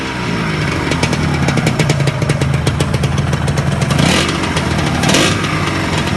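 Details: Yamaha RXZ two-stroke after overhaul and tuning: crisp idle with a fast buzzing beat, then two quick throttle blips that rise and settle cleanly; engine runs evenly, normal running.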